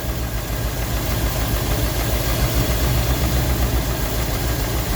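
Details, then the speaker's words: Rolls-Royce Silver Shadow II, sat about 10 years, with twin SU carbs rebuilt and a new fuel pump, chasing a high idle. Pushing the linkage slows a low, lumpy idle of about three pulses a second. Owner suspects a throttle butterfly sticking slightly open: rough idle. "It actually slows it right up even more. So, I think we've just got maybe we've just got a little butterfly just sticking open a tiny bit."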